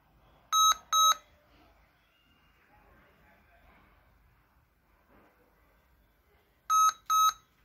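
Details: Lenovo IdeaPad laptop, display working: two quick high beeps, six-second pause, then the same double beep again; repeating POST error beep code, cause unsolved.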